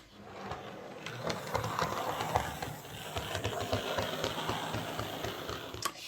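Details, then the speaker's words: Hornby 08 Shunter model locomotive after reassembly: small motor whirring with a clicking, horrible thumping beat about three or four a second as it runs on the layout; coupling rods catching on the brakes, and a big piece of fluff was found in the worm gear. "nope i think we'll have to take this to bits again so just when i thought it was fixed that uh developed an unforeseen problem a horrible thumping sound"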